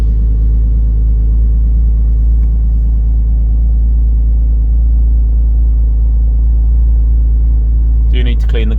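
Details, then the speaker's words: Alfa Romeo 147 GTA after a full engine rebuild, with a coolant leak at the thermostat resealed: a steady, even low engine rumble with no knocks or ticks. It runs smoothly, and the rebuilt engine sounds healthy. "so as you can hear the engine is now all done and running really good"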